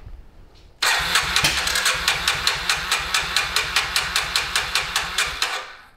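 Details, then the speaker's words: 2000 Kawasaki Super Sherpa 250cc single, sat for years, cranks but won't start; about half a millilitre of gas added directly as a test: slow starter chugs with one sharp backfire pop, never catches; no-start, carburetor suspected stingy/clogged. "if it starts this way it'll prove that the engine wants to run carburetor is just being stingy"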